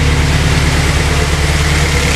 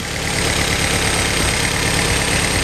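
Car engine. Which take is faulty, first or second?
second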